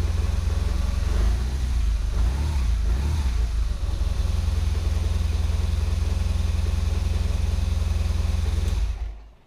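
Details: Boxer-twin motorcycle started while reading live sensor data on a diagnostic scanner: fires and holds a steady even thrum through the revs, no knocks or rattles, shuts off cleanly; healthy engine.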